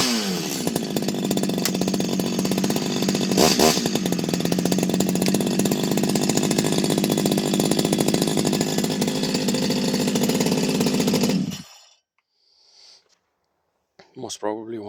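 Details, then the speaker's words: Stihl 025 chainsaw fully rebuilt from the bottom end up, new seals, original bearings kept, modded muffler: steady crisp revving about eleven seconds, clean even exhaust note, no misfire or surging, then shut off; normal running, chain brake works. "so nice running chainsaw nice noise everything works chain breake works"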